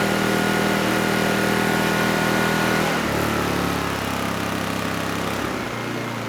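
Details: Honeywell HW2000i 2000 W inverter generator, about 20 years old: steady, even drone that settles lower and smoother once load comes on, holding speed without hunting; runs healthy under load.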